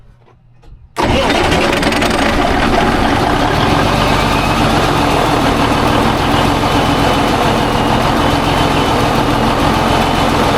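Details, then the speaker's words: Heavy rig, 10-speed transmission: cranks and catches at once, settles to even steady idle, no knocks or misses; later warm, thermostat open at 175-180, 35 psi oil pressure at idle; healthy start and idle. "It's been running for probably half hour. It's all up to temperature, thermostat open. It's running about 175, 180."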